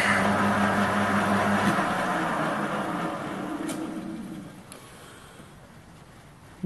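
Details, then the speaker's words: Waldown/Dumore tool post grinder grinding a bronze bush internally on a lathe: hum pulses about three times a second as the stone touches only in spots rather than constantly; bore not yet true. "you can tell what the sound also where that it's grinding constantly or whether it's it's only touching in certain places"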